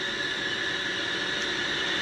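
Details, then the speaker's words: Lathe turning a stainless steel spotlight base: thin steady high-pitched whistle held through the cut over chip hiss; owner notes a weird frequency and plans to change the feed rate since tooling likely can't change. Cause unconfirmed. "That is making a weird frequency. So, I'm going to change the feed well the speed of the feed rate because I don't think I can change my tooling and still get the same area where I need to."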